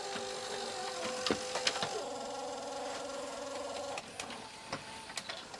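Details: Panasonic PV-V4521A VHS VCR bought at auction, trying to play an Apollo 13 tape: thin whirring whine with irregular clicks that stops and starts; the tape mechanism isn't running right, cause not yet found.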